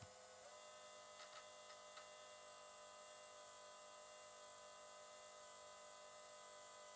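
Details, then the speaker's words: KTM RC 390 project fuel pump under MaxxECU control run at 90–99% duty, about 6–6.5 amps: quiet steady electric whine with constant pitch, no surging or rattle; pressure holding at 49.5 PSI, normal operation. ">> Yeah. is holding perfectly. 49.5 PSI."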